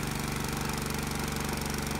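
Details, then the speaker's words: Small engine on a dyno loaded with resistor banks at 20 A per switch, governor set to exactly 3000 rpm, 28° total ignition advance: steady, even, fast thump held at constant speed with no surging or knocking. Normal governed running under load. "it's a bit touchy but once adjusted the governor will hold the engine at the desired speed"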